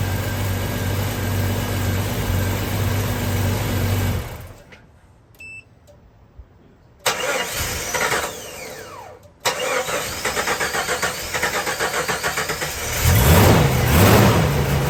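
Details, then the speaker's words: Jeep jump-started with a portable jump pack: uneven cranking, runs, cuts out, catches again and settles to a lumpy, unsteady idle; reluctant to start and idle, cause unconfirmed. "so you can see how reluctant this Jeep is to start an idle"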